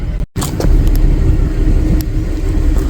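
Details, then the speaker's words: 2011 GMC Acadia after replacing a broken purge valve: smooth, even low idle with steady rumble, no burbling or misfire, no more excess exhaust smoke; engine runs cleanly. "just the idle itself sounds a lot better and before there was kind of a burbling sound all the time no more burbling sound"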